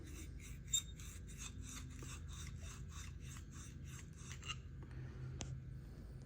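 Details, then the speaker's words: Harley-Davidson cylinder head valve lapping with one-step grinding compound after oil smoking: rhythmic back-and-forth rasping strokes about two per second, gritty then smoothing as the compound breaks down and the seat beds in. "you can hear it smoothing smooth it out just like L just back and forth hear it hear the difference you that grinding compound um breaks down"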